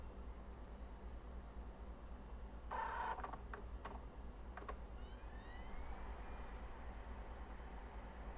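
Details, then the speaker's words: G4 laptop, DVD inserted at power-on: faint clicks and a brief rising whir over a quiet hum as the optical drive spins and seeks but never settles to read; nothing on screen, cause unconfirmed. "Can hear it trying to read. But still nothing on screen. That's a little concerning."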